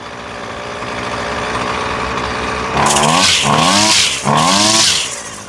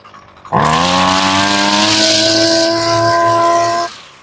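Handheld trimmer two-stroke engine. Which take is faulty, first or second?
second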